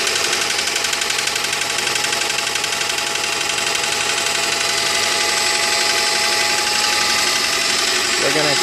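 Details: 2001 Honda Prelude with the H22A4 petrol engine at idle: a loud, fairly regular knock at about four beats a second; the cause is not yet known and the engine is to be taken apart.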